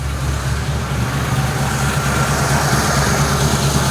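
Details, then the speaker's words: 1953 Ford Customline flathead V8, first start, fuel pump working but carburetor bowl leaking fuel: deep, even low rumble with a steady beat, no misses or knocks; normal idle. "Power on. Whoa. Whoa, baby. Yeah. Listen to that thing. Holy crap."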